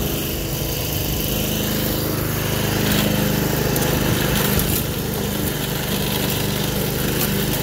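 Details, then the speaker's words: Toro 53 SP commercial self-propelled mower, possibly Suzuki engine, after refitting a belt that was off the clutch: single-cylinder running at a steady, even speed, smooth drone, no knocks or misses. "third gear is fast finally it does work good"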